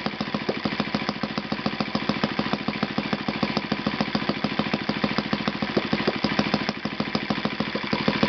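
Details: Yamada (Futaba) YS-F120 four-stroke 120-size model engine on test stand after total rebuild (carbon buildup, piston and ring problems), Yamada No.4 glow plug: fast even popping beat holding steady, no misses or stumbles; normal running.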